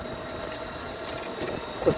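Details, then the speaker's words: 1998 Club Car DS golf cart rear transaxle after applying silicone to the axle splines and adding heavy-duty oil stabilizer: soft motor whine and light rolling noise, none of the earlier spline racket; quiet and healthy. "those splines is where that racket most of that racket was coming from and she's just so quiet we can sneak up on people now that is amazing"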